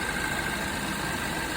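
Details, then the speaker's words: Hyundai Tucson after AC compressor replacement, vacuum and about 550 g recharge, engine idling: faint intermittent tone as variable compressor changes displacement, condenser fan cutting in; AC working normally. "That was definitely the compressor actually uh changing its its uh displacement and everything of course works in unison."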